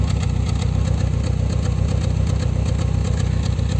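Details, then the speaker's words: Dodge Neon losing power, vibrating and stalling at speed bumps: idle has an uneven puffing exhaust beat with one soft chuff out of step. Cylinder 1 has very low compression from leaking exhaust valves, causing a misfire. "los síntomas vive al motor le falta potencia se escucha el escape diferente el dueño se queja que al llegar a un tope se le apaga tiembla el motor sonido del escape se escucha como un soplido"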